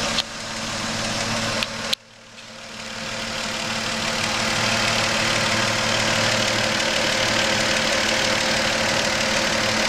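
Steady idle with a regular light tapping near three per second under a strong hiss; some knock is present, cause unclear.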